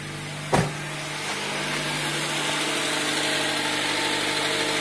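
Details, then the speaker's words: 2000 Honda Civic after burnt valve welded and reground, just reassembled and started, no coolant in it: idles high but steady and even, no stumble or misfire; normal idle. "started it up and it runs it idles pretty high because there's absolutely no coolant in it but I think we're good to go"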